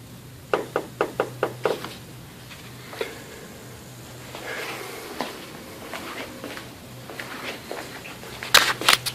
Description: The new KYB Strut assemblies I installed in my '04 Caddy Deville click with the slightest compression.